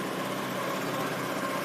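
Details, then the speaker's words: Honda Lead scooter idling after repair of a badly done earlier job that damaged an engine part and caused scraping: even, steady idle with no knocking or scraping, scraping noise gone. "não bate nada acabou aquele barulho raspando"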